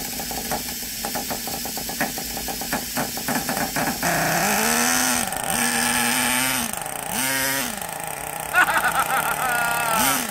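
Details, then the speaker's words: Traxxas nitro RC truck engine, previously locked solid and freed by disassembly, first start in about two years: high-pitched buzzy engine starts, blips up and down and runs steadily; runs well, with a small air leak on top to investigate. "well that's the first time this trucks been started from what it sounds like in a couple of years so she runs pretty good she's got a little bit of air leak on the top will will investigate that further"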